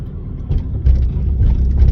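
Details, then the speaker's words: Car driven over bumps after fixing a front suspension clunk, in a video that also covers an intercooler install: steady low road rumble with a few soft thumps and no sharp metallic knock. No suspension clunk is heard. "let's go no clanking I hear everything that is going on here in my car but no clunking"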